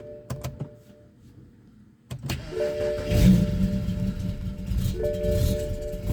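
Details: BMW N54 with index 12 injectors, Walbro low-pressure fuel pump, MHD stage 2+ tune, XHP, 93 octane, at 58°F: after the dash chimes the starter churns unevenly for several seconds before catching, a hard start with extended cranking.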